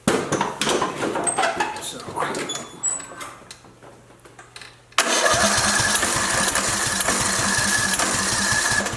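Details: Craftsman LT2000 with Briggs & Stratton 19.5 OHV engine that died mid-mowing: starter churns steadily about four turns a second with weak uneven firing, never catches; fuel thought okay, broken push rod killing compression.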